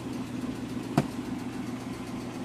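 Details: Suzuki F6A engine previously misfiring, backfiring and not idling, after valve clearance adjustment, new spark plugs and flushing oil: steady even idle with smooth low pulse and one brief click, no misfire or popping; runs cleanly.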